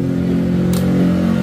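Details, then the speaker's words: MP One motorcycle alarm, semi-lock set by switching ignition on seven times: single short high beep at key-on over engine noise, meaning semi-lock is active and the starter stays blocked even with the key left in. "Nah, ada bunyi tet sekali ya. Kalau ada bunyi tet sekali, ini motor nggak bisa di starter."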